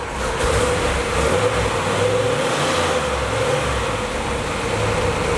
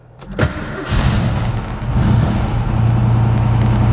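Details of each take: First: Ford Fairmont cruising with its electric exhaust cutout closed: steady, soft low exhaust drone with no bark or rasp; the note is properly subdued. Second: Ford Fairmont V8 at idle with the old-style exhaust cutout, bent after hitting the ground, with worn sunken ball bearings and rusty parts: a loose, buzzy rattle over the deep exhaust; replaced with a lower-profile cutout.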